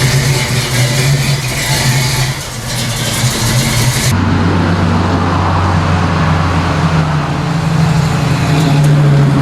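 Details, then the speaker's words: 1979 AMC Spirit AMX, 304 V8, on a road drive after swapping the Jegs carb whose vacuum secondaries wouldn't open for a Brawler carb with mechanical secondaries and the same jetting: hard pull, deepening roar, no stumble or bog; normal acceleration, secondaries working. "not bad not bad mechanical secondaries actually work go figure it's nice part about them being mechanical"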